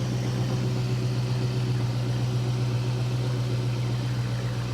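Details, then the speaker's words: Flood-damaged auction 2007 Chrysler 300 SRT8 Hemi V8, first start after repairs: deep even idle with steady low burble, no ticking or tapping from the top end; smooth and healthy. "No Hemi tick at all. That sounds great, man. It is smooth. That is awesome. Sounds good. Yeah, that sounds real good."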